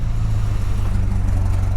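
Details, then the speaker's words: Ford XF Falcon ute, 351C V8, running on petrol from a primed carburetor bowl with failed fuel pump and timing not yet set: deep, steady rumble with no misses; running smoothly, better than before. "so I've just primed the bowl and I'll show you see what it sounds like on petrol I haven't done the timing yet and it's Keys bloody sounds pretty good definitely running better"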